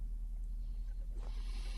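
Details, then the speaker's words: Valve amp, normal channel, just brought back to life after replacing a resistor that measured 2K; mic against the speaker. A low steady hum, then a continuous airy hiss swells in. Noisy components suspected, not yet found. "you can hear we now have some hiss remember the tone control works backwards on these so that's uh no trouble all the trouble that Channel's now working um but it does have some noisy ano visist so we're going to have to find those and sort those out"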